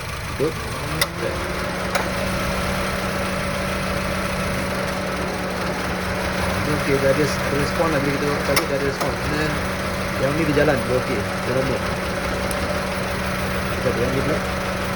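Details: Honda Civic FD 1.8 idling: uneven hum with a stumble and shake every few beats and no steady rhythm; engine shakes suddenly when stopped, runs rough and loses power, a misfire traced to a failing ignition coil.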